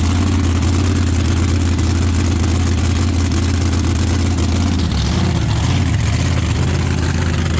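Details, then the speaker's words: Race car V8 at a smooth, steady idle with an even deep rumble, warmed up after replacing a bad axle bearing that was leaking gear oil; gear temperature holds good while running. "I think we got something to work with now yeah so idle smooth and gear temp stays good while it's running"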